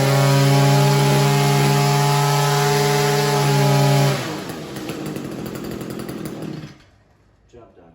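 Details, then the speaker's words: Echo SRM-210 trimmer after cleaning a roughly 90% carbon-blocked exhaust spark arrester that caused bogging: steady high buzz at full throttle for about four seconds without bogging; revs cleanly. "so next clip is going to be on a running weed eater revving full throttle"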